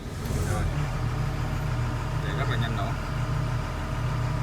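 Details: Doosan DX140W excavator diesel after repair of hard starting (fuel pressure only about 150 kg/cm² before repair), steady even low throb at idle with no misses or knocks; idling smoothly and healthy.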